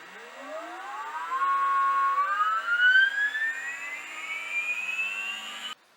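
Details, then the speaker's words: Water-cooled CNC milling spindle, about 800 W, driven at 400 Hz (top speed): clean whine climbing steadily in pitch over about five seconds as it spools up, no rasp or rattle; a healthy, quiet spindle. "400 H ayarladık sürücümü ve son devirde çalıştırıp sesine bakacağız ne kadar ses çıkartıyor"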